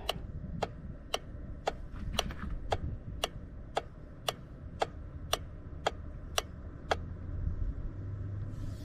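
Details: 2017 Ford Escape with no crank and no start, battery at 12.18 V: the pulled starter relay clicks sharply and evenly about once a second when bench-tested, switching cleanly, and tests good.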